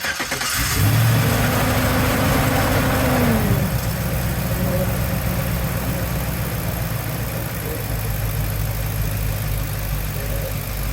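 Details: LS-swapped Squarebody Chevy C20 after a Holley Sniper EFI in-tank pump fuel tank replaced a fried inline pump, with a faulty pressure regulator suspected. It cranks, catches, flares, then holds a steady, even idle; the pump is barely audible.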